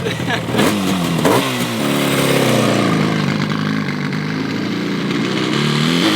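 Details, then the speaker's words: Yamaha RD350 two-stroke twin, abandoned about 10 years, on its first ride. It revs up raggedly and flattens near the top with uneven firing, bogging at higher rpm. "rides kind of wants to work I think at higher RPM it gets a little bogged down"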